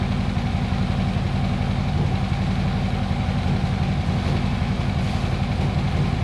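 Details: 2014 Harley-Davidson Electra Glide V-twin, started in neutral with clutch in before oil change, warming in shop: even, lumpy low rumble at steady idle with no knocks, ticks or misses; oil light out, no leaks, healthy idle.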